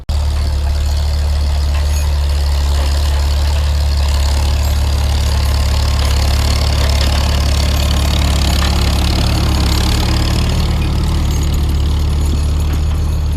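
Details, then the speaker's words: Farmall M tractor after breakdown repair, plowing snow in winter: deep even rumble holding steady with no misses or knocks; engine running fine. "good no troubles here so now that he's running fine he kind of goes and breaks up the heavier stuff with the tractor"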